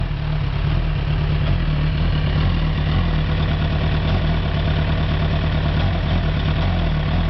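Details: Suzuki GSX-R1000 K7 with about 9k on it (premium fuel) idles rough and lumpy with a misfire, also felt at 1-3k rpm; one coil unplugged steadies idle; vacuum hoses checked, spark plugs next.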